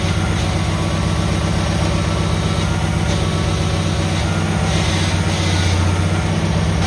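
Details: Cub Cadet tractor started after repair: deep, steady drone with an even beat, no knocks or misses; runs smoothly.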